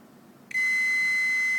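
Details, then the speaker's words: Vibration motor tested with multimeter between case and negative blue wire: steady high-pitched continuity beep at certain rotor positions, none at others, indicating an internal short circuit between motor case and negative wire. "Oh, here you can hear the short circuit between case and the negative blue wire."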